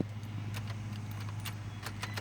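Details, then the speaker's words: 2003 Toyota Highlander after ignition switch replacement: crisp clicks and key rattle as the new switch clicks through positions, engine starts with no problem and hums steadily. The old worn switch no longer clicked. "You can feel a click, so you know it's bad. I mean, you know that one didn't click anymore, so you hear them clicks, and it starts up no problem."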